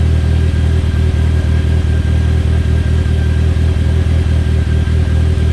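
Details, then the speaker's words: Mitsubishi Talon on E85, cold start at about 52°F after sitting two months; started a little harder than expected. Deep, steady idle with an even low pulse, no knocks or ticks; normal cold idle and revs. "Started up a little harder than I expected, but E85 and 2 months of sitting. It's nice to hear it again, though."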